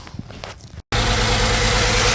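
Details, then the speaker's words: 2008 Mazda CX-9 with injector open-circuit code P0201: engine settles into a slightly uneven, lumpy idle from a cylinder 1 misfire caused by a failed injector, with injector wiring confirmed good. "all right there it is that means circuit it's totally fine it's just the injector open circuit confirm that cylinder one misfire"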